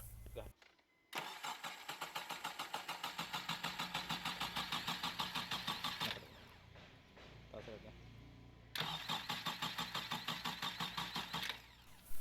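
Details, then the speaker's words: 2008 Honda Civic Hybrid (FD3), complaint start-and-stall then crank no start, no DTCs: steady starter cranking at about three beats a second, pausing and cranking again, never catching; crank no start. "First of all, let's confirm the customer complaint. Just go ahead and crank the engine."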